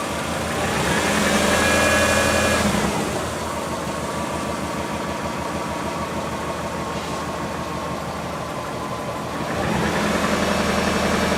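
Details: Subaru engine with top end refreshed, bottom end not rebuilt; idle with steady quick tapping about 220 per minute rising with brief revs, owner convinced it's early rod knock, unconfirmed, before adding Lucas oil stabilizer.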